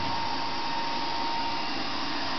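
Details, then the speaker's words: Dell Optiplex GX280 desktop with side panel off, while playing media: steady loud rushing whoosh with constant whistling, variable-speed CPU fan spinning flat out like a jet; cause unknown, later slowed with fan-control software. "you can feel the air sucking right into the door it's cooling down the whole room sounds like a jet airplane taking off but I don't know if there's any fix for it"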